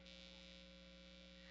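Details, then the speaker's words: 2018 Gibson Les Paul Classic with P90 pickups and Bigsby, not being played: constant low buzzing hum with a faint fizzy edge; electrical interference from the environment picked up by the pickups, not a grounding fault. "I was complaining about how noisy the P90s were and had quite a few comments from people telling me I had a grounding issue"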